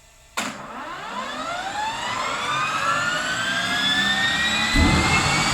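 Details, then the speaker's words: Honeywell GTCP 331-350 APU (Airbus A330/A340, 1400 hp turboshaft) in test cell, no generator fitted: igniter clicking, starter kick-in, then whine climbing as turbine spools, deeper roar at light-off; normal start. "when when it goes to start you will hear the igniter box uh clicking and you will hear the starting motor kick in and then we'll get an ignition and uh it'll you'll hear the light off"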